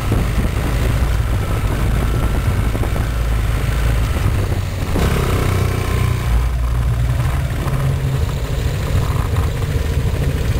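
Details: Gilera Nexus scooter: engine rumbles low and steady while an odd mid-pitched whirring comes and goes from around the rear wheel; cause unidentified.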